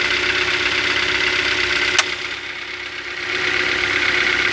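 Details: 2012 Hyundai Elantra, 50,000 km, engine knock at idle after filling fuel at a Kyiv station; steady idle with sharp, fairly regular tapping about three per second over hissy background; cause not pinned down.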